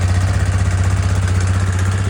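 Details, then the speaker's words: 2009 Polaris Sportsman 550 XP EPS single, first start of a machine that came into the shop torn down; power steering light on and steering not working. Steady even low thrum, no knocks or misses, not bad at all: normal idle. "let's try to fire it [Music] up oh yeah not B at all sounds pretty"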